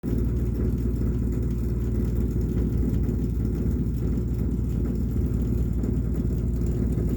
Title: Rumbling noise again